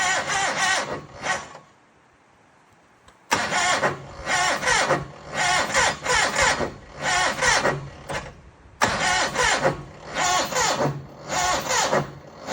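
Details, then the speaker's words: John Deere 318 left outside overnight at -6 degrees: several bursts of cranking with a quick rhythmic chug, each dying away without catching. Cold no-start. "6 below is struggle land area."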